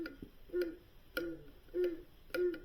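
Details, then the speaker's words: Northland NM13A refrigeration module, GE-type shaded-pole clockwise evaporator fan motor run on the bench: regular tick with a short squeaky chirp about twice a second from a bad bearing; motor replaced rather than oiled. "got a bad bearing in it I mean we could just oil it but customer wanted it replaced"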